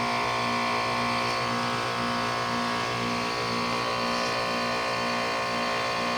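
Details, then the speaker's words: 2001 Trane XE1000 5-ton heat pump in heat mode at about 45°F: steady even hum with constant tone, no knocks or rattles, running normally through a defrost cycle. "see what it does holy it's defrosting it's actually defrosting I don't know if it's going to steam but it's defrosting"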